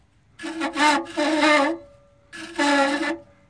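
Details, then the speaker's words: 1990 OMC Cobra 5.8 L marine engine, water pump turned by hand with front of engine disassembled: two bursts of rough, screeching metal-on-metal grinding; badly worn water pump bearing. "so we've got a combination of metal grinding metal sounds and to give my viewers an idea here this is probably the worst sounding bearing I've ever heard before it's bad"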